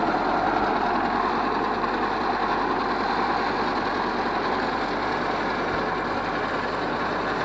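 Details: Ford 641 Workmaster tractor, pasture find sitting 10+ years, warm day without choke, after starter rebuild, tank boil-out and rewire: steady, even drone with a low chug and no knocks or misses; healthy, running unloaded.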